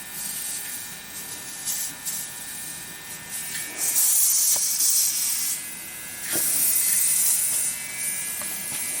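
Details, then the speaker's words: 5 hp air compressor with tank pressure drained low while a fitting is loosened: sharp hissing bursts of air swelling and fading, air breathing back from the tank; leaking check valve not seating, misdiagnosed by the customer as a leaking pressure switch. "i've drained the pressure most of the way down and i'm going to sneak in another turn out see if i feel any air breathing i do i do too"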